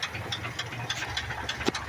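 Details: 1982 Ford F-100, 3.8L V6 with carburetor, auxiliary-pump fuel leak just fixed, three-speed column manual, hood propped open at idle: steady knock about three times a second deep in block under hissy idle; owner says rod knock.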